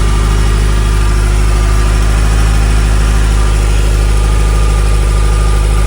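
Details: 1981 Ferrari 308 GTSi V8, fuel-injected, 38K miles, 5-speed manual, idling with engine cover up: steady, even smooth low burble with no knocks, misses or rattles; normal healthy idle.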